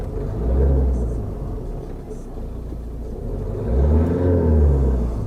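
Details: 2011 Volvo V70 1.6D D4162T diesel after throttle body cleaning and reset, battery reconnection and 15-minute idle relearn; two gentle blips rise cleanly and settle to steady idle; smooth throttle response, normal revving.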